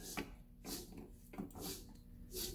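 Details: 2009 Subaru Forester, 2.5 single cam, automatic: front hub turned by hand gives gritty rasping bursts each rotation, the rough grind of a worn front wheel bearing; wheel wasn't spinning freely, hub/bearing being replaced.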